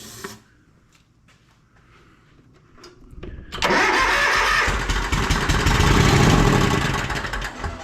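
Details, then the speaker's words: Toro Z Master commercial mower, won't start or runs rough: silence and clicks, then catches on primed fuel; both cylinders have spark, fuel starvation suspected from the carburetor fuel shutoff solenoid. "now we know this cylinder is firing so both cylinders are good on this the only thing we're missing out of the equation is going to be fuel"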